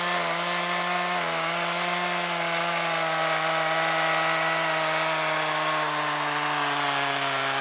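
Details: Chainsaw running on old stored boat and chainsaw gas blended with new non-alcohol fuel, cutting wood: a steady high buzz holds even pitch, dropping only slightly as the chain bites. Normal running under load.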